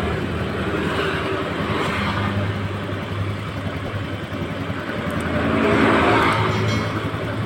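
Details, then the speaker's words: Honda Scoopy scooter after an engine repair; it previously would not start or ran with a terribly rough sound. It now runs with a steady, even, smooth beat and no knocking or rattling: normal running. "masih kasar atau halus secara teori juga sudah halus Mas"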